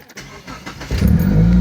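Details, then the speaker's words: 2000 Mitsubishi Galant 2.4L after a cheap fix of a cracked intake manifold that had caused idle jumping 2,000–1,000 rpm: a short crank, then a clean cold start to a steady idle near 2,000 rpm, easing to 1,500 with no stumbling. "So look at that, fires right up. Idle when you first cold start. It's up to 2. Sounds good. The idle's not jumping around, not like it was."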